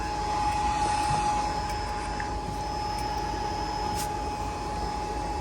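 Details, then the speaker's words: Toshiba Q9 HVAC drive after its cooling fans were replaced and power was restored: a smooth, even airy rush with a steady mid-pitched tone and no rubbing or ticking; the new fans run healthy. "Okay, we should have juice. If I remember, something screwy with the switch being backwards. Sounds like we got fans."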